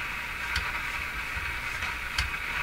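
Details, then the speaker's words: Philco 49-501 Boomerang tube radio: suddenly flat steady hiss with faint clicks, no station at any tuning position; suspected tube failure, local oscillator no longer operating. "no local oscillator I think see how the radio doesn't change sound at all no matter where I tune it that's a suggestion there's no local oscillator operating anymore"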